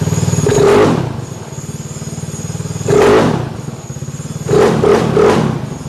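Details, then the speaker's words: Fuel-injected dry-clutch motorcycle idling at about 2200 rpm after the fueling was richened: three sharp throttle blips over a rattly idle with metallic clatter throughout. This is normal dry clutch noise, not an engine problem. "you're wondering why the engine sounds so clattery i know i'm going to get a bunch of comments on that that's a dry clutch so that's that noise you're hearing no motor problems that's the way it's supposed to sound"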